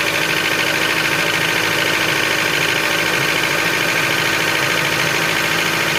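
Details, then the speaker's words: 2006 Honda CR-V K20A4 engine, cold idle: steady sharp knocking about three times a second, loudest when cold; teardown found wear in the camshaft bearing caps, camshafts sitting loose in their seats. "Так, завели. Сейчас пойдет прекрасный стук, блядь."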